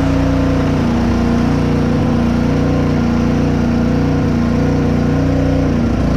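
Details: Honda GCV 190 single-cylinder on Simpson pressure washer, after carburetor cleaning (clogged tube) and reinstall: steady, even drone with no misses or surging; running clean and healthy.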